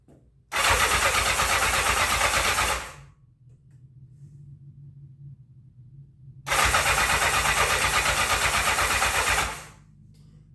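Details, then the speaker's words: 1984 Honda CB700SC Nighthawk, before carb cleaning, in for carb issues: starter cranks in two three-second bursts but never fires; old-smelling gas, partial choke tried; crank no start. "right folks I'm Not Gonna Keep cranking it too much I don't like to keep cranking I don't see where it's starting and running but like I said that gas does kind of smell a little bit old"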